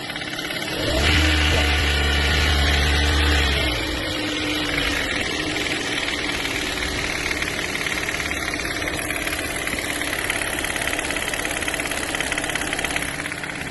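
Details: 2018 Toyota Corolla 1.8 16V, over 100,000 km, started and revved: engine settles to idle with a light, steady knock; diagnosed as intake and exhaust VVT pulleys losing pressure, piston pin play and excessive rod bushing clearance.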